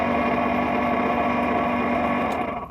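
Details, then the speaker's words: Project car with freshly finished interior: heater blower motor gives a steady busy whirring with a coarse rattling grind, like a blender full of marbles; blower motor rattle, one of several niggles alongside a suspected prop shaft vibration. "like that sounds like a blender with loads of marbles inside it"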